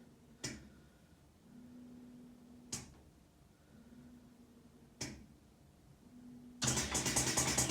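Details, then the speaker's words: Milling lab shaking machine: three soft thumps about two seconds apart, then a loud rushing release as the sample-holding clamp arm lifts after the run; normal operation, release sometimes takes a while. "we're going to hear the same sound in a second once the arm releases and sometimes it takes a little while so just have to be patient"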